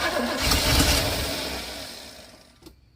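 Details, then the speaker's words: 1982 GMC Sierra 2500 with an ignition problem, running on fuel sprayed into the carb: a short rough burst of cranking and firing fades away within three seconds. It is hard starting and barely catches; a faulty wire is later found and the main hot is run to the distributor. "well that's the most disgusting anyways we got it to start that's good"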